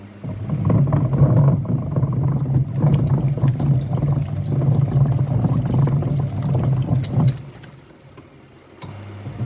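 Low, uneven rumble churning along steadily, then dropping away near the end; the wash tub rumbles while agitating, cause unknown.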